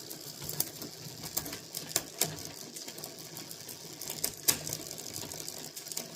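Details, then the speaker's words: Bicycle rear derailleur with cable too loose: sharp irregular chain ticks every couple of seconds while pedalling, struggling to upshift in lower gears; fixed by tuning the cable adjuster. "So in the lower gears, it's kind of struggling to go up. That should be in the next one. So I have to give that a bit of an extra push."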